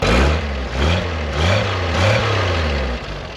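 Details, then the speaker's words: 1973 Jeep CJ5, 258, sat 16 years, fuel restored via electric fuel pump: low chuggy idle that swells and settles like a small tractor motor, firing steadily; gauge up to 40, no charging system. "Well, there she is. What in the world? Sounds like a little tractor motor."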